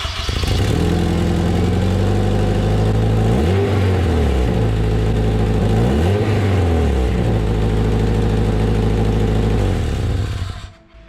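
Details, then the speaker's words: 2005 Acura RSX Type-S K-series with DC Sports header, before flex-pipe delete: loud rough exhaust drone rising and falling twice with revs, raspy edge from leaking header flex pipe, a known weakness of these headers. "you probably have a dc sport header just like i do on the rsx here now they are pretty affordable which is great for people like me and you to be able to get some a little bit more performance out of our k series because they just really love to breathe but they have notoriously bad problems with their flex pipes"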